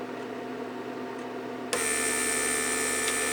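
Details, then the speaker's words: 1999 Mercedes S-class door-lock PSE pump, repaired, on a bench test with ignition on: quiet, then the pump kicks in abruptly with an even, steady buzzing hum while building pressure. Normal pump operation. "It's trying to create pressure, so there we have, give it pressure."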